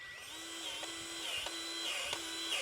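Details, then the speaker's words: Milwaukee M12 battery grease gun on an N&N dump trailer zerk: motor whine sags and bogs about every half second, stalling with pressure in the hose; clogged fitting won't take grease, later cleared by forcing penetrating oil. "So you could hear the grease gun stalled out, basically. This is not taking the grease."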